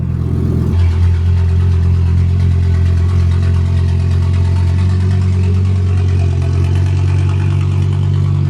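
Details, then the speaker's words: Skoda Octavia vRS with swapped Audi RS3 five-cylinder, no catalytic converters, first drive, no power steering, heard from about 40 ft: very loud, deep droning, slightly uneven idle; engine not entirely happy. "that's how loud it is I'm about 40t away you can still hear it clear as day"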